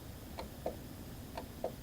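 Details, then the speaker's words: 2012 Subaru Legacy door window motor fed 12 V directly, then with polarity reversed: sharp clicks in pairs with no running whir, and the window stays stuck. Motor may be working; the window regulator cable is suspected. "So, what I'm doing here, I'm going to put u 12 volts to the mo directly to the motor. And I could hear the clicking."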